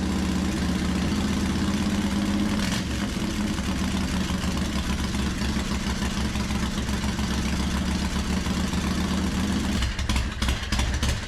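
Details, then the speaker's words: Harley Softail that had a suspected miss or fuel-starvation problem, after cleaning a dirty carb enricher circuit and refitting the original intermediate jet: lumpy, loping V-twin idle, steady and even with no stumbles or misses. Problem solved. "put back in the intermediate jet that I had in there originally, and what do you know? Ran great. No issues, no problem solved."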